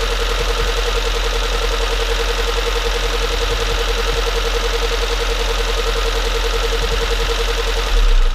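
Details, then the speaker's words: Freshly rebuilt CA18DET engine in an S13 200SX at first startup after several failed attempts; steady but rough idle with an uneven knocking undertone, sounds a little incorrect, cause not yet known. "it's running okay now we're actually gonna have to run it and see um the sound sounds a little bit incorrect"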